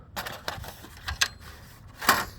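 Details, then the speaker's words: Tesla hubcap, bought used, shaken by hand: sharp, uneven metallic clicks and rattles from loose metal retaining clips that no longer press against the rim; spreading the clips fixes the rattle while driving. "if it's too loose it'll Rattle and that's what you hear is when these These are too loose"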